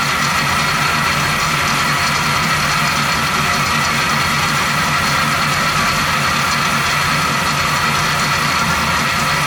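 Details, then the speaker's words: 1970 Chevy C10 with 350 small block at steady idle: constant high metallic rotary rubbing whir, apparently from the replacement water pump; checks with a clamp and probe on the pump did not pin down the source, cause unknown. "it definitely has some kind of rotary noise it definitely sounds like it's time from the water pump"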